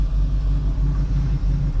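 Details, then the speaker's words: 1986 Oldsmobile Cutlass 442 V8 running on a rebuilt eBay Quadrajet carburetor replacing a troublesome one that cranked long and idled rough; started quickly from cold after weeks sitting; deep, even rumble, crisp pulses, no misses, sounding more aggressive and healthy. "Sounds a little more aggressive. Sounds good, actually."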